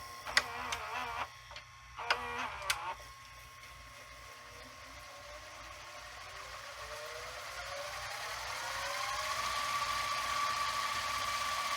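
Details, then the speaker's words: Sanyo VHR-H519 VCR, late 1990s or early 2000s, rewinding an EP tape: a few mechanical clicks, then a smooth rising whir as the tape speeds up; not very fast but a good speed, normal transport. "it's not crazy fast but it's a good speed"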